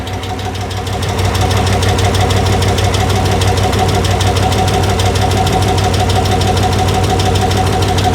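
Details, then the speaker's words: 1964 Chevrolet Biscayne on its first start in over 50 years: rough, uneven idle with quick ticking on top; lifters not yet pumped up, possibly with an exhaust leak. "It lives. Little bit of valve noise. Not running too smooth,"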